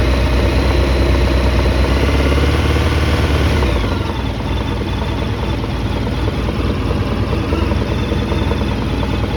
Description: Honda VFR1200F (7th gen) 2011 developed a knocking sound only on hot engine, any ideas what might be the cause of this?